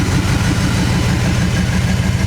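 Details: 1959 Chevy Apache, long unused, restarted: low, lumpy idle that stumbles and surges as if about to die; old fuel gummed up somewhere is suspected, not confirmed. Rough idle, threatening to stall.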